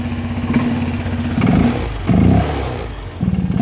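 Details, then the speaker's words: Honda Vario 125/150 with an open air filter, cold after sitting overnight: lumpy idle with rev blips that sag and stumble before picking up, plus open-filter intake noise; owner suspects excess intake air, possibly injector setting. "tapi cuman Pas awal najawa Syawal mesin hidup mati semalaman tersendiri kodak kayak ngoc dan ada suara kayak pun filter"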